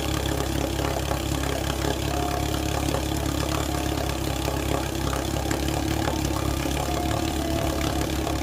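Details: 1948 Sea King 5HP two-stroke outboard, first startup and break-in run after mechanical rebuild: steady even putter, constant beat, no misses or knocks; normal running.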